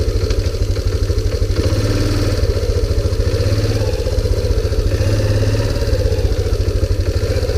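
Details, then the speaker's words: 2001 Kawasaki Bayou 300 after the timing adjustment, idle turned down: the single-cylinder idle thumps unevenly, wavering and stumbling; rough, unstable idle, suspected cheap China carburetor or intake vacuum leak, unconfirmed. "yeah see the it's um it's got It's just not quite idling as smooth as I would like it to like I'd like it to idle right there but I'd like it to be"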